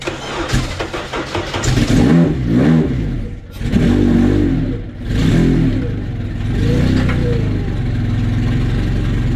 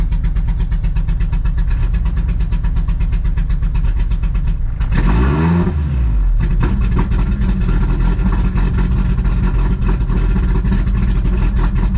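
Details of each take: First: Honda Civic wagon at second fire-up on pump gas: engine fires, then surges and drops in uneven revs; throttle cable is very loose, out of threads and already maxed on adjustment, making control erratic. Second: Honda Civic wagon running again on pump gas after fixes: steady, regular idle with a quick rev that drops back smoothly; engine runs cleanly with no misses.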